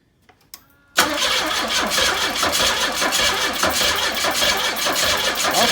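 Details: 1984 Pontiac Fiero, one cylinder about 90 psi compression: starter spins and it catches in ragged bursts but never settles to idle; fires but won't run, owner suspects mechanical issues.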